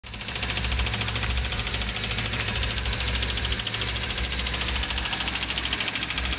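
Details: Honda Civic D15B7 engine running: fast, light ticking over a steady hum that persists throughout, source unclear; engine clicking noise.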